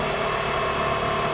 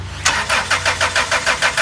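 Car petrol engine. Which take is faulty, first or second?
second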